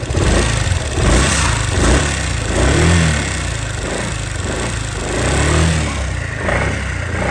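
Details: Honda SH300i scooter (2016–2020 models typical) idling: steady metallic clacking from the engine top end, caused by excessive valve clearance, before valve adjustment.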